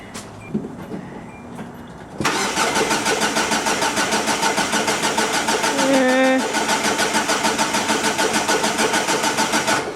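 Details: 2004 Hyundai Sonata that lost power and died while driving, now with starter fluid; steady cranking about three beats a second, catches briefly but never runs; owner suspects fuel pump or timing chain, unconfirmed.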